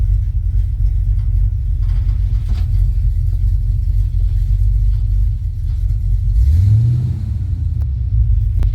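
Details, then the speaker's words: 1972 Chevy C10 small-block 350 carbureted V8 (Carter AFB carb, HEI ignition) after replacing failed fuel pump that caused crank-no-start: deep, smooth, even rumble holding steady with no misses, stumbles or knocks; running normally again. "It's running. I need to fix those wires, but that'll be all right. Right back how she was."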